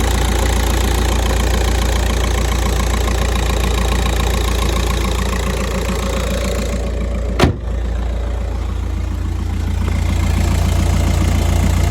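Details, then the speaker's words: 2008 Volkswagen Golf 5, 2.0 diesel, manual gearbox, about 200,027 km: at warm idle a steady, fairly regular knock rides over the engine rumble like a hammer tapping inside. Starts well, idle holds steady, no warning lights; internal engine knock. "чуєте цей звук як хтось стукає молотком двигуну який стук іде з двигуна"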